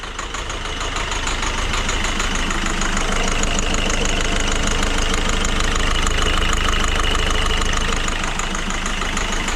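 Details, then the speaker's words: Citroën C4 Grand Picasso diesel, restarted after 5 months and warmed up to stay running, idle: steady even tapping about three per second over the clatter; owner hears a pulley (galet) noise, cause unconfirmed. "Il y a un bruit de galet."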